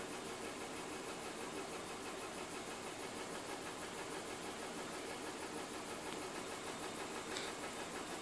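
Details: BMW M52TU B20 inline-six idling: hissy idle with a faint uneven pulse about three beats a second; misfire on cylinder 6.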